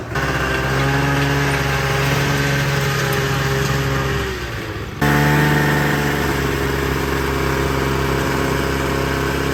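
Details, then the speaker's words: 40-year-old two-stroke snowmobile being rebuilt, running: buzzy engine runs unevenly and stumbles badly before picking back up, a clear misfire with no cause found yet; adjustment planned. "but now it misfires a lot as you can probably hear the old po po"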